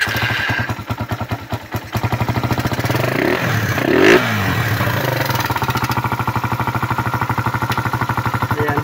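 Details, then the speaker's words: Suzuki Raider single after overheating and dying; carburetor cleaned, filter, spark plug, regulator and battery replaced, oil added; one-click start, steady idle with fast light ticking (~3 per second) over the exhaust beat – noisy engine ticking ("pumipitik"), cause unconfirmed. "Pakinggan natin yung makina dahil maingay yung makina nito, walang natuyuan. Ayan. Yung pumipitik na yan. Yung pumipitik."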